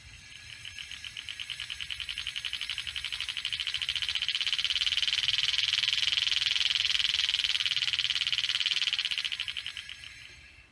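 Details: 2012 Honda Odyssey with new Power Stop slotted and drilled rotors and pads: rapid sharp high-pitched clicking swells and fades while rolling with brakes not applied.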